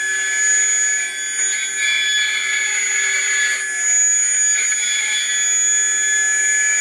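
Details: Atlas launcher gyro rotor on spin test, powered with 115 V AC across terminals A and B through a 270 nF capacitor: a thin, steady high-pitched whine with a ringing edge and no low rumble, very noisy at full speed.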